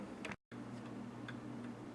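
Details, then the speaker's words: 1807 Gilbert mantel clock after restoration (pendulum bob from a Model T bearing), fully wound on its original key and running perfectly; crisp, even tick-tock with a steady beat in a quiet room, healthy escapement. "it's all wound up it's running perfect sounds good so we're running just the same as that one"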